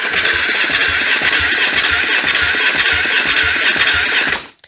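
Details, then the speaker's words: KTM 450 dirt bike not run for over 10 years: steady starter churn that never catches; a test light on the ignition coil feed wire stays dark while cranking, so the coil gets no power (no key found). "and it still doesn't so what I need to be figuring out is why doesn't this why doesn't this wire have any power going to it"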